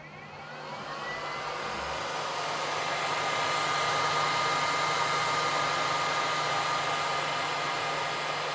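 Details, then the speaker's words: Snapmaker U1 3D printer with official beta Top Cover, fan speed selected via firmware option: smooth steady airy whoosh building then holding even, no ticking or rubbing; chamber fan blows strongly, air purifier fan a bit weaker; enclosure fans normal. "Et comme vous l'entendez, ça souffle bien. En tout cas, le ventilateur de la chambre souffle bien."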